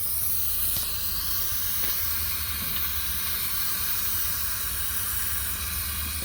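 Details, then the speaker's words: 2020 M8 engine, 35k km, leak-down test on cylinder 6 at TDC (low compression earlier), 90 psi in, 23% leakage: steady rush of escaping air, heard much more at the intake than the exhaust, indicating intake valve leakage. "We have 90 psi and then we have here 10, 20, 23% of leak. Okay, I hear much more the intake than the exhaust."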